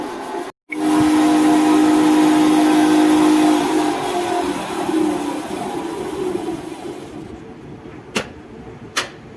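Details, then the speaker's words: Lavamac washing machine with loud spin noise, drum bearing first suspected; induction motor run with belt removed gives a steady hum with a harsh rough growl, traced to the motor bearing; motor then opened. "य जो sound आ रहा है य जो sound आ रहा है य motor में आ रहा है मोटर का जो बरिंग है वो प्रॉब्लम हो रहा है"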